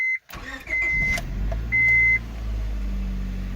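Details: 01-05 Honda Civic after oil leak fix and spark plug swap for a misfire: chime beeps, short crank, then engine catches and settles into steady even idle; normal start, though the check engine light remains on.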